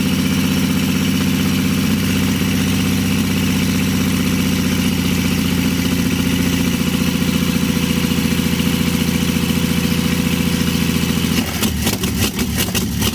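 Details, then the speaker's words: 1952 Chevy engine restarted after refitting the fuel pump ground wire, which had caused the earlier stall, running on gas with a little oil mixed in; steady low rumble at 3–4 beats per second, smooth idle without stumbling. Carburetor rebuild pending. "well she sounds pretty good i want you to see the happiness on my face"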